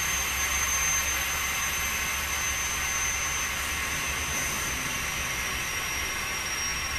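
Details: Truck air brake test, tractor shut off at maximum pressure, service line disconnected, brake held to the floor: continuous even hiss from the open service line, normal venting; tractor protection valve closed at 50 PSI (minimum 20), working properly.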